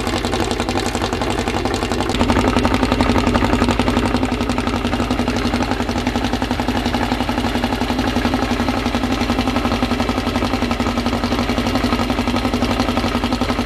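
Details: Freshly assembled 2054 engine on its first start after nearly a year of building, carbureted. An even, quick pulsing beat at the 1200 rpm idle with a faint gear whir beneath, steady throughout; the idle is kept high for break-in and may be lowered later. Normal fast idle.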